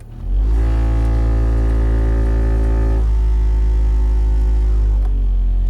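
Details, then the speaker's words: 2016 Nissan Sentra dash blower motor with leaves, acorns and debris in the fan: loud buzzy droning hum that gets louder as fan speed is turned up. "Hi everyone, my 2016 Nissan Sentra has been making an awful lot of noise in the blower motor every time I turn on the vent fan. So here is the noise. You can tell it's really loud, and when I turn it up, it gets louder."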